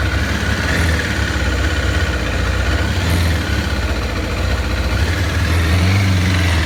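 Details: 2007 Kawasaki ZZR600 (Ninja 600), newly acquired: low, lumpy idle with an uneven pulsing beat instead of a smooth hum; rough idle, cause not yet clear.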